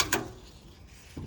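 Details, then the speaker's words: Door of a 1971 Ford crew cab with its original hinges, after Fluid Film treatment. It swings shut effortlessly with a single clean latch thud and no creak or jiggle; the door closes normally. "and it's just like effortless now and such a satisfying noise when it closes and the uh door is actually closing now that the fluid film is all in there"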